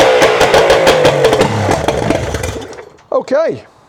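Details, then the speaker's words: Yamaha 75hp two-stroke outboard uprated to 90hp, first start after full rebuild and rebore with new 90hp exhaust pipe, out of water with no gearbox: loud crisp firing at a quick steady pace, no knocking under the exhaust, then cuts cleanly; mechanically quiet and healthy. "so it's alive. Mechanically it sounds quiet and the exhaust is very loud, which is just what we want with the new 90 horsepower exhaust pipe fitted."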